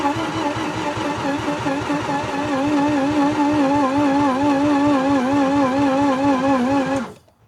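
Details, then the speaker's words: Mazda RX8 engine after reassembly and oil fill, battery doubted to be strong enough; steady starter whine with even cranking pulses for about seven seconds that never catches; cranks but won't fire. "It just doesn't sound like it's... I don't know what it's meant to sound like. Yeah. This sounded the same as the last one."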